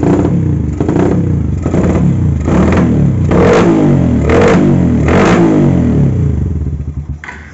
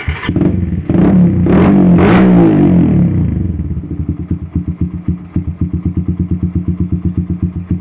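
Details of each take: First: Carburetted motorcycle with vacuum fuel tap at idle: surging, stumbling rough beat, carburettor sucking air; runs fine when throttled; rich mixture, wasting fuel, fouling plugs, fuel smoke from exhaust, persists after carburettor cleaning, ignition and electrics fine. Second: Carbureted motorcycle with fuel vacuum valve after repair: revs up cleanly and settles to a steady, even idle, no more stumbling at low and mid rpm; cause was a faulty fuel vacuum valve making it run too rich.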